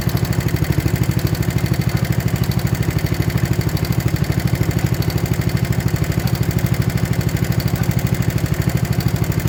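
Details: 1960s Toro Professional 70 reel mower 8 hp single after carb rebuild and fuel system cleaning, fuel on, warming: fast even popping beat at steady high idle, no stumbles; running smoothly.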